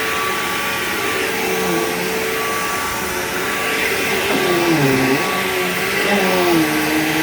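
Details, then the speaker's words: Bissell PowerGlide Platinum 3545-2 upright vacuum, acquired around 2018, running: a steady roar with a thin high tone on top plus a wavering wah pitch that swoops up and down. Owner calls the whine bizarre and cannot explain it. "Yeah, that weird, like, whiny, wordy sound that it makes is really bizarre. I don't know why it does that."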